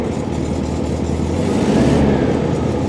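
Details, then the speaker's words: 1971 VW Super Beetle flat-four after idle jet turned out and set with threadlock to fix idle issue: catches immediately, steady even idle with short rev blip; normal idle, though problem later returned. "So that sounded like it started right up to me."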